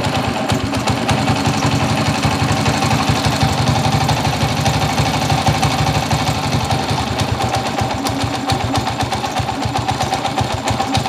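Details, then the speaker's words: TMX155 motorcycle engine, still hot, rough in first and third gear: loud rough single running with rapid rattling knock about four per second; loose crankshaft bearings. "OP patayin natin ang ang problema nitong motor ni boss from ordaneta magaspang ang primera magaspang ang tersera che-check natin mamaya tapos makalog kog yung bearing ng segunyal"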